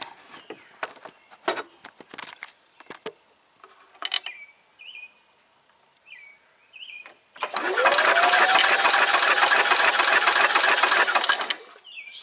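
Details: 1990 Club Car golf cart gas engine with replacement carburetor, no spark found: starter whirs steadily about four seconds with no firing at all; cranks but will not start, kill-switch wiring suspected.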